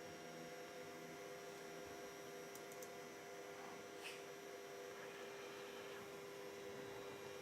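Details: Ender 3 Pro 3D printer being converted to EnderWire with a new MCU board: its cooling fan gives a constant whirring hum with a thin steady tone that never changes speed; a terribly noisy cooling fan.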